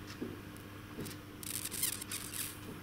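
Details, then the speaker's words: Inner tube of a Kama Ural logging-truck tyre (OI-25), inflated harder to find a leak: a faint spluttering hiss and wet crackle of air bubbling from a tiny puncture, hard to find because the tube was at low pressure. "шипит слышно и получается вот этот прокол такой маленький маленький"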